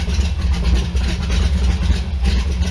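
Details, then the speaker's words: Allmand SuperNova boat engine, just restarted after no-spark, excess-fuel and water-pump issues: about 800 rpm, 60 psi oil, 110–115 temperature, 13 V charging. A steady, even low idle rumble with no misses or knocks. Normal idle. "Seems to be running okay there. Right now, you got a quarter tank, looking like about 60 pounds of oil pressure, about 800 RPMs."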